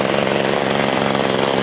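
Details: Mantis tiller two-stroke after its old carburetor was replaced with a new one: a fast, steady idle buzz with no stumbling or surging; it runs normally.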